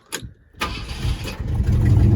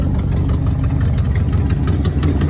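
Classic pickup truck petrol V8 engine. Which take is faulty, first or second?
second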